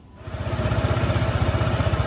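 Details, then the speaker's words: Honda ADV 160 scooter after rear pulley CVT service (clutch and springs checked, rear pulley retightened) following hard top-speed riding: engine catches into an even low putter with the previous CVT rubbing/grinding noise gone; normal idle. "Okey dah pasang start dah tak ada bunyi dah. Sedap tadi bunyi gesek cantik."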